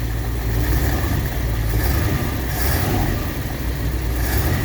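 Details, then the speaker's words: 1959 Ford Fairlane 500 carbureted engine, first start after a new gas tank was installed: steady, smooth idle with no knocks, only a little smoke. "running pretty good. I think it's running on the fuel, I think."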